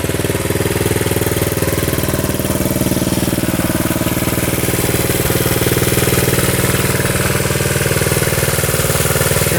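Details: 1972 Honda CT70 single-cylinder, all-original auction bike being revived after a bogging issue, idling in neutral, running well with no smoke; quick regular putts around three a second, no misses or hunting; healthy normal idle.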